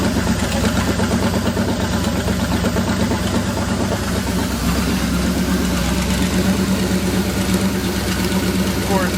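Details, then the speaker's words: Fresh 350 V8 on a test stand, just back from the machine shop, idles steadily with a light uneven top-end tick over the exhaust; owner suspects one valve on that bank needs readjusting, possibly valves not yet seating; good oil pressure, no leaks. "I think I'm going to go ahead and adjust these valves one more time. This side sounds like one might be a little"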